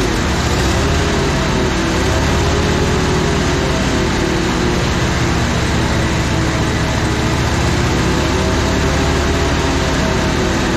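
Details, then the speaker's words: Auction crane truck engine after tightening and adjusting the drive belt suspected of squealing: steady, even running with low rumble and no squeal or chirp; belt quiet, normal running. "Let's go ahead and dump some oil in this thing and fire it up. Okay, contact. No belt squeal."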